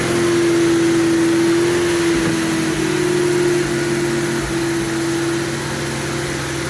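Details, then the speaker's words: MGB GT just started after about 12 months stored untouched: steady, even fast idle on choke with a smooth regular beat, no knocks or misses; normal idle. "get this oil off she's running well missy she is i can't believe it"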